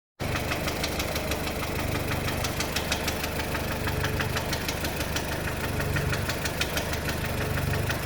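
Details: VW Golf 4 1.4 16v at idle: sharp rapid metallic knocking in time with the engine; worn connecting rod bearings, replaced.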